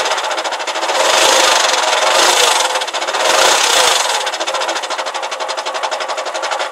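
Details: Porsche Boxster 986, clutch replaced under 1000 miles ago: rapid uneven squeaking chatter about four per second from the gearbox when the clutch pedal is released slowly and when driving, rumbling on quick release, silent with pedal pressed; cause unknown.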